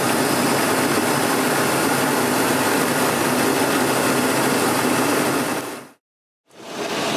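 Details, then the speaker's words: 2001 GMC Sierra 2500HD, cold day, idling just over 750 rpm, heard from outside: steady, even idle with no knocks or misses, smooth hum before it cuts out. Normal idle. "it's a little cold today i'm idling just a little over about 750 rpm so this is what it sounds like inside"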